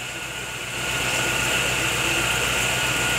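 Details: Chevrolet Agile with new coil, plug wires and spark plugs, misfiring after a timing belt replacement: slightly uneven, stumbling idle, from crank and cam sensors not relearned after the belt job; engine misfire at idle.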